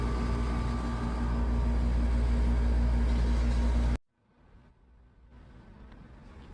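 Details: Air conditioner outdoor unit after rubber pads under the four corners and strapping to cut tank-like noise, recorded close up; steady low hum with even fan and compressor pulse, no rattle or buzz, then stops. Normal running.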